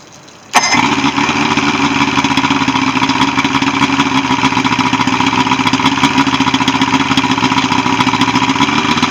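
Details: Evinrude 75 HP outboard on a Voyager pontoon, after no-start repair and routine service: motor catches instantly and settles into a steady, even run with a constant buzzy tone and no misses or knocks; normal running.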